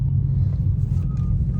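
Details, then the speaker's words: Low rhythmic thumping from under the center of a 2008 BMW 335i E92 when pulling away slowly under load/acceleration; suspected worn or broken carrier bearing, not confirmed. "Coming from right under here. Under acceleration. But if that's what your car sounds like, it's most likely a carrier bearing."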